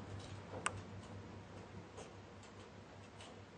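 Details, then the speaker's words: Ballast-compatible LED tube in a fluorescent ballast fixture giving sharp, irregular crackling ticks over a low, steady ballast hum, with smoke appearing; external arcing at a loose lamp pin in its socket. "Now, external arcing happen when you have a loose connection between the bind pin and the socket."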